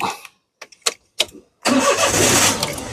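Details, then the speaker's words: 2013 Daihatsu Xenia 1.0 M manual, 3-cylinder, about 96,000 km: a short starter crank, then it catches at once and settles into an even idle. A clean start suggests the battery and starter motor are fine. "saat kita nyalakan mobil, pastikan bahwa nyalanya itu jreng. Karena apa? Kalau dia nyalanya tersendat, berarti ada kemungkinan permasalahannya bisa jadi di akinya sudah soak atau dinamo starternya bermasalah, jadi perlu diservis."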